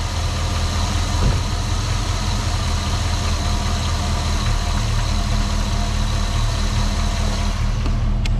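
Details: 2001 GMC Sierra 2500 6.0 V8 after a new starter was fitted for an intermittent no-start: smooth, low, even V8 idle holding steady throughout with no stumble or knock; the engine is running healthy.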